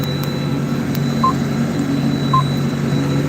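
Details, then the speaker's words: CAT 85D 380 hp tractor fall tillage with ripper on auto-steer: short high beeps about once a second over steady engine drone, warning it is slightly off line while auto-correcting. "When you hear that beeping, it means we're off by a tad. But, you know, it's auto correcting."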